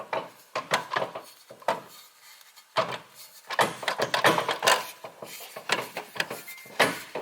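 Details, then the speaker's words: MKIV Toyota Supra with 800 hp+ Collins steel driveshaft and new short shifter, shaft rotated by hand: uneven light clunks and scraping rubs as the driveshaft hits the low-hanging shifter linkage; fix planned by grinding it. "that linkage thing that's basically it hitting the bottom of that shifter because it kind of hangs down."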